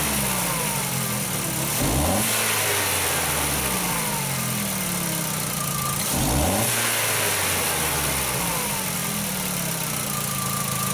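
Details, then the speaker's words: 2004 VW Jetta 2.0L after fitting a known-good used coil: smooth, even idle with two clean throttle blips, no misfires on cylinder 3 in measuring blocks; normal idle. "and that's running really good"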